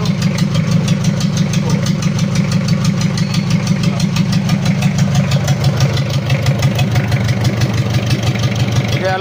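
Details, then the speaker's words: Mitsubishi L300 diesel (post-2010) after a full overhaul with an upgraded 12 mm rotor head injection pump, first start, oil pressure 4 bar at idle: uneven, lumpy limping idle about three beats a second. A leak is causing the misfire. "sudah hidup untuk mesinnya Tapi ada kendala pincang kalau untuk oli aman udah naik tekanan oli idle ada di 4 bar Seteng di sini ada kebocoran jadi yang menyebabkan pincang itu ini Lur"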